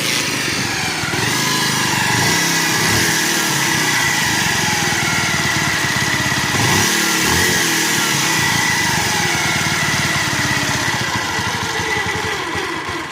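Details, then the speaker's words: Bajaj Pulsar single-cylinder engine, no battery: loud rough idle with fast beating knock about three per second swelling with revs; internal wear needing rebore, head valves and timing chain pads. "మీరు engine beating అయితే విన్నారు కదా. Engine beating అయిన తర్వాత అసలు ఇంజిన్లో problems ఉన్నాయి భయ్యా."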